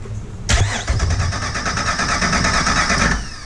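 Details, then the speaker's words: Salvage Jeep TJ engine before removal: steady starter cranking about two and a half seconds with even compression pulses, never fires; owner suspects no spark from bad coil, new coil awaited; cranks, no start. "yeah still sounds like it doesn't have a spark at least i know why right now"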